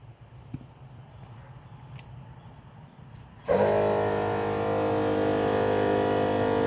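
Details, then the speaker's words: NAPA MaxiTrac twin-cylinder compressor, about 10 cfm (300 lpm), switched on to top up a tire by about 3 psi: loud, steady pumping drone at an even pitch with no knocks or rattles; normal running. "it's pretty loud i clicked it on just to see what it sounded like definitely sounds like it moved some air so here we go"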